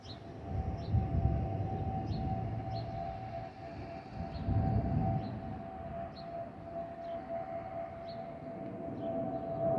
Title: 💛🖤💛Spirit Airlines Airbus A320-232 N607NK NK1617 MCO-DTW (FOPP whistling sound)💛🖤💛